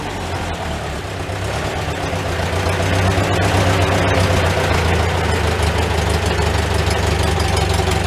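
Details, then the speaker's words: Old Farmall tractor idling indoors after being started (the toggle switch was at first left off): loud, steady low thump at about four beats a second, running fine. "so uh that's not running too bad now when i first started tried to start it i don't know if you saw it but i forgot to turn the switch on"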